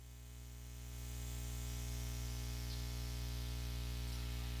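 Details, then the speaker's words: Melonare MA-1 10-watt solid-state portable guitar amp on clean channel: steady hiss with low buzzing hum swelling as volume is turned up then holding, easing when a cable is unplugged; source unconfirmed, room fan audible; amplifier hiss and hum. "So that's quite a bit of noise there. Yeah, it's not exactly peaking, but you can play through it, and I'll demonstrate that right now."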